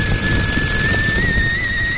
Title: brake squeal?